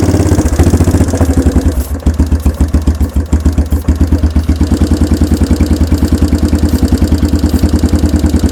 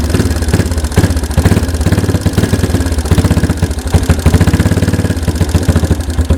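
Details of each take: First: 1992 Yamaha Big Bear ATV that sat about a decade, cold, choke pulled: rough single-cylinder putter near 150 beats a minute for ten seconds, then dies; runs only on starter fluid, the carburetor is gummed and needs a rebuild. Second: 1992 Yamaha Big Bear ATV that sat a decade, same oil, running on choke after the replaced fuel mixture screw was adjusted (seated gently, one turn out, tweaked); quick, even single-cylinder thumping idle, steady with no stumbling.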